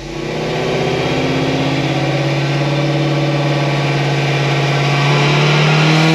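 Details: 2016 Cadillac CTS-V on dyno with headers, after replacing the high-side fuel pump that was dropping to very low pressure: strong, even wide-open pull with exhaust pitch climbing steadily and no misses or stumbles; pulls cleanly to the top.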